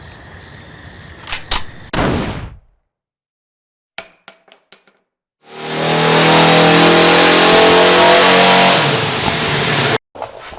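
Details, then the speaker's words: Barn-find VW Beetle engine after sitting over twenty years, fuel tank cleaned; starter spins it steadily about four seconds but it never fires. Coil has positive from ignition yet no spark; crank no start. "found out that I do have positive coming back to the coil from the ignition. Uh, but for some reason there's no spark at all."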